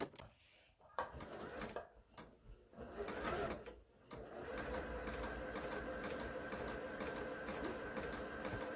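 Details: Kenmore 385-19550 sewing machine after repair (twisted part had pushed the shaft out of alignment; wrong pattern stitches and speed control fixed), speed adjustment screw centred: fast steady needle whirr about three stitches a second, even, no knocks or grinding; normal.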